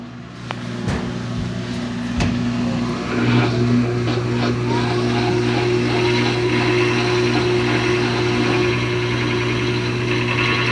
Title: GE washer with grinding noise 2